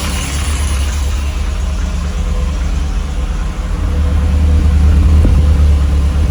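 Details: Lotus Elite revived after ten years in a barn, after cleaning debris from the carb chambers and adding fresh fuel. Still cold, with good oil pressure and charging. A smooth, even beat swells as the revs rise, with no knocks or misses.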